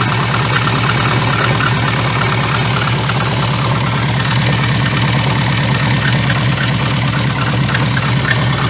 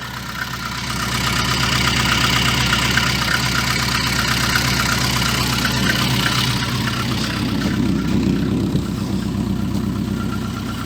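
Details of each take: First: VAZ 2114 engine: rough, regular clatter about three times a second at idle, appearing as vibration when lifting off the throttle after revving to 2,000-3,000 rpm; caused by a cracked, wobbling crankshaft damper pulley that needs replacing. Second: VAZ 2114 engine after repair, with a leaking muffler adding a low-frequency note: steady, even idle and revving with no clatter, where there was previously a clatter on lifting off the throttle; the engine now runs healthily.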